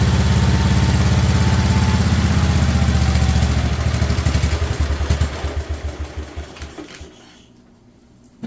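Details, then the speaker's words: 1958 Wisconsin AENLD engine revived, muffler fitted, choke off: even, low thumping smooth run, purring, slowing to separate firing pulses and fading out at shutdown; normal running. "I have to say it sounds freaking amazing that sounds amazing she runs so smooth when she's going got the choke taken off there"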